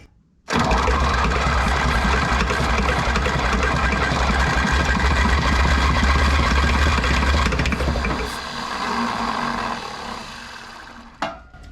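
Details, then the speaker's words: 1960 John Deere 1010 diesel tractor, fresh diesel, injectors squirting, intake heated: bursts into life on starting fluid, runs hard seconds, then sags and fades as ether burns off; diesel not combusting, concluded low compression. "it's totally running off the starting fluid it's got fresh diesel I know the in injectors are squirting I have to conclude that the the diesel is just not combusting because of low compression"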